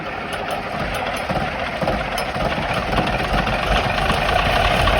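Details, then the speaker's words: Massey Ferguson 2775 tractor, sat maybe 10–15 years, filmed at the previous owner's place: diesel clatter keeps climbing in speed and loudness with no throttle let-up, running away until it ran out of fuel; owners suspect the injection rack stuck open. "this tractor kind of ran away but it ran out of you know it ran out of fuel so play the clip it's pretty cool it might help further demonstrate that the rack is stuck open"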